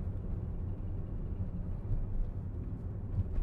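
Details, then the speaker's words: 2011 Volkswagen Jetta 2.5 driving at about 1200 rpm, 30 mph, half throttle: low uneven droning rumble with a shaky lumpy pulse and heavy vibration, check engine light flashing; misfire. "30 m hour is when it really vibrates and shakes okay I got the gas pedal down but halfway and it's vibrating"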